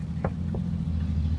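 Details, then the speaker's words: 2007 Toyota Sienna, key on, engine running, after disabling the faulty power-folding mirror motor: only low steady engine hum and two faint clicks, no mirror motor whine; noise eliminated, mirror still works. "powers off you don't hear anything and go back closer to the mirror you don't really hear anything else"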